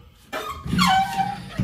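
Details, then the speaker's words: Truck tailgate with aftermarket Dee Zee tailgate assist lowering: short rubbing squeak sliding down in pitch as the assist shock rubs a bracket; owner may remove that part. "Now, one more thing is the shock. If y'all hear it squeaking, let me take y'all out of the tripod here. But the shock is hitting on this little dude here."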